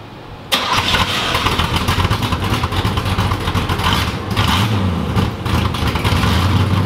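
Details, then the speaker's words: 1986 Chevrolet Camaro IROC-Z V8 started: lumpy idle with a sharp puffing tick on the exhaust, louder from underneath; owner thinks the collector gasket is leaking. "I can still hear it pretty clearly. That's got a pretty good exhaust leak, but otherwise, you can hear it better on the bottom. I think it's the collector gasket for sure."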